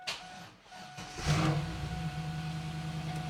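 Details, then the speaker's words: 1999 Pontiac Firebird Trans Am LS V8 after fixing no oil pressure, brief run without coolant: short crank, then smooth even idle with no ticking or knocking; oil pressure good. "oh yeah lots of oil pressure now excellent won't let it run too long cuz we don't have coolant and stuff but it's sounding really good"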